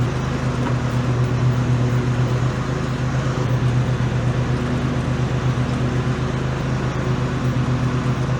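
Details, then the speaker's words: Toro TimeCutter SS5000 zero-turn mower, mowing after spindle and blade replacement: steady low engine and blade hum under cutting load, no grinding or rumble; deck now much quieter than before, when worn spindles were noisy. Normal deck running. "It's a hell of a lot better than what I had before. Cut perfect. That deck is so much quieter than before."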